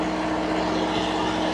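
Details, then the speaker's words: Steady, even diesel drone with a constant hum, no knocks or surging, from a two-compartment trailer reefer, C2 setpoint lowered to -30 degrees, range about 35 to -30 °C; normal running. "C2 bật lên, chúng ta phải nói to hơn, hy vọng nó được nghe thấy. bởi vì với tiếng ồn của động cơ."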